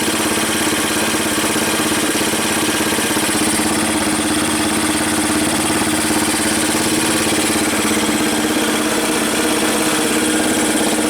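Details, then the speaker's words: 1985 Yamaha BW 200 single-cylinder, sitting since 1997, idles steadily and evenly after starting, with no misses, backfires or chattering; backfiring is gone, possibly from a stuck valve freeing, with a little black smoke. "hey not backfiring probably just had a little anymore of a stuck valve boy that sounds good"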